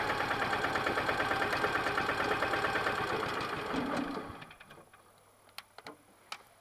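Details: Westwood diesel ride-on mower after new drive belt, idler pulleys and broken exhaust stud repair: even, regular diesel chugging for about four seconds, then winds down and stops; runs smoothly.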